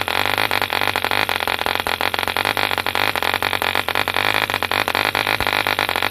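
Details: 1948 E.D. Mark II Competition Special 2cc long-stroke model diesel, first start after rebuild from two incomplete engines: crisp rapid even crackle at steady high speed, no misses or stumbles; healthy running.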